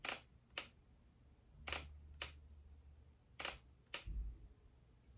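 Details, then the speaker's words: Hasselblad XCD 30mm lens on X2D camera: three crisp pairs of soft clicks about half a second apart, damped, not very metallic, no rattle, more dampened than the 21mm. Normal leaf shutter actuation. "Right. So, I think what we're hearing so far is um that's like uh it's not silent for sure. Um it's not super metallic. Uh it's it's, you know, it's a shutter sound."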